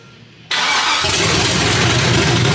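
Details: LSX-swapped 450 hp Datsun 280Z, filmed for the customer: a brief crank, then it catches at once into a strong, even V8 idle with no knocks. The builders say it is running really rich.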